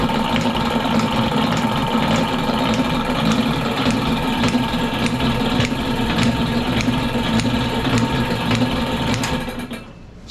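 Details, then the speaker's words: Lewis metal shaper running with a steady clack about every 0.6 s as the ram strokes; the cross-feed ratchet binds and only rocks the lead screw gear, not stepping. Fixes: drive axle attachment milled, ball-and-socket linkage joint, side load added on the lead screw. "what's happening there is nothing. Uh, this is kind of bound up and it's just moving it back and forth, back and forth."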